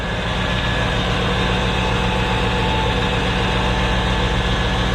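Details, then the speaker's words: 1995 Chevrolet Corvette C4 5.7L LT1 V8, 105,000 miles, salvage car after accident, oil clean, trans fluid not burnt: steady, even idle with smooth low rumble, no misses or knocks; engine sounds healthy. "would you listen to that just listen to it nice and smooth run in there"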